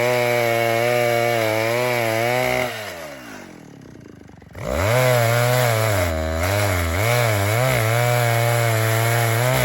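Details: Vintage 1960s Stihl 08S chainsaw, close to 60 cc, with chain brake, cutting dead ash firewood: strong even revs under the cut, drops to a smooth steady idle, then picks back up cleanly; lots of torque, runs good, normal running and idle.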